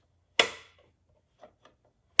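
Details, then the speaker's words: NES cartridge door after lubricating the gummed-up, previously squeaking hinge: two crisp plastic clacks with faint clicks and no squeak as it opens and shuts smoothly. "absolutely no squeak and the door feels a lot smoother too like i've never felt it this smooth so it was definitely a bit gummed up before i lubed it perfect"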